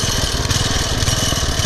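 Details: Poulan/Weed Eater VIP garden tiller with 5 HP Briggs & Stratton single-cylinder, 15+ years old and unused over a year, warming up before tune-up: fast, uneven, restless idle chugging, revving up and down; surging idle, later cured by a minor carburetor mixture-screw adjustment.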